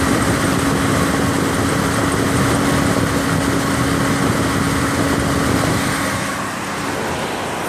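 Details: 2003 Mitsubishi Lancer running: steady belt squeal each time the AC compressor kicks on, holding its pitch. Owner suspects a bearing or a failing compressor.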